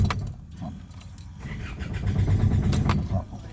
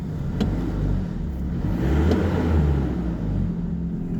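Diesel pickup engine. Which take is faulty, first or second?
first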